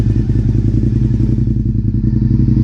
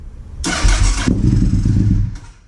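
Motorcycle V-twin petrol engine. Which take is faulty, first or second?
first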